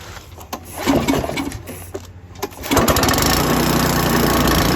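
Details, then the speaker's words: Coleman Powermate MAXA 3000 generator, idle 20 years, first start with new carburetor, tank cleaned, air cleaner not yet fitted: pulls and clatter, then catches and runs steady and even; runs, but new kit fuel line leaks fuel. "it it's working but we have have a problem with it leaking fuel"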